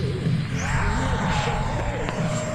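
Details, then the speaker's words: FMS Futura V2 80mm EDF RC jet in flight. A thin, high steady screech rides over the rushing whoosh. Pilot is unsure of the cause and suspects a scraping fan blade. "You hear that screeching it makes? What in the world? It just does that. Man. Maybe that's unique to mine. I don't know. Maybe I'm scraping a fan blade or something. But cool. It just has a screeching sound to it."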